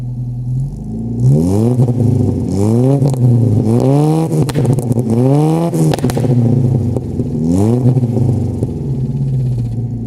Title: Angry 4 cylinder commodore making noise